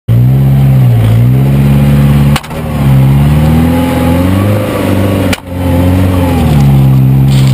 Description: 1998 grand vitara makes a clunking noise in 4wd.